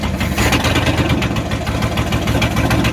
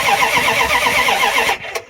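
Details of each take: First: 1994 Dodge Ram 1500 318 (5.2L) V8 after rodent wiring, vacuum line and fuel pump sending unit repairs, catalytic converter missing: rough loud open-exhaust idle, slight unevenness; runs, possibly not smoothly yet, bad wires or clogged injectors suspected. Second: 1994 Dodge Ram 1500 318 (5.2L) V8, sat 4 years with rodent damage, cold: steady fast cranking, no firing, then a click; crank no start, no fuel delivery.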